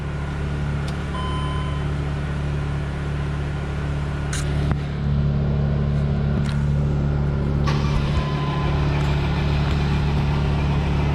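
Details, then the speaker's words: 2008 Mercedes Sprinter diesel, crank no-start after a fuel leak: fuel filter primed and rail pressure regulator reset, steady cranking about four beats a second, close to catching but never runs; owner suspects fuel rail pressure still building. "So let's just, I think because so much fuel leaked out, we lost a lot of pressure, and yes, we primed the fuel filter, but it just needs to pressurize the fuel rail itself. I think we lost some pressure in that."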